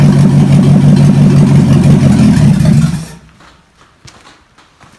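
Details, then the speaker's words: Chevy 283 V8 from Facebook Marketplace, first run on the shop floor: deep, smooth, even beat for three seconds, then a clean shut-off; runs strong; normal running. "how about that can't get much better than that can you"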